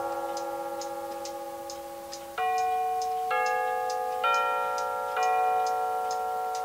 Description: Making a Solid Oak Mantel Clock with a quartz chiming movement.